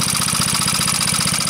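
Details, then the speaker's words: Antique Onan PE-88 US military generator, rated 350W at 115V, running under load with no misfire: fast, even valve clacking over a steady engine beat; valve clatter, described as not that bad. "still uh run on load hear the prity Clack of those valves it's not that"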